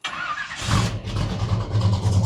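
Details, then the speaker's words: 1972 Chevelle with used 454 big-block V8 and Turbo 400 after 3,600-mile road trip: catches at once and settles into deep, steady, even idle with no knocks or misses; sounds healthy. "Oh, still good. Still sounds good."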